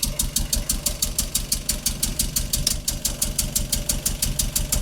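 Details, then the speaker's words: 1987 VW Golf Mk1 Turbo GTI, first start after fuel pump swap: idle with sharp rhythmic hissing puffs about three a second over the beat; air leak somewhere behind the turbo, manifold or loose part suspected, not confirmed. "Still sounds it's got an air leak, but we got running. It's running. Sounds like there's a freaking leak somewhere though. Something's leaking for sure."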